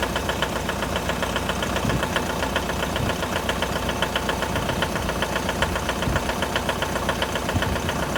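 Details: 2011 Mitsubishi L200 4D56 diesel, cold start: sharp, regular ticking knock about two and a half per second over a rough cold idle; cold-start knock of unknown cause.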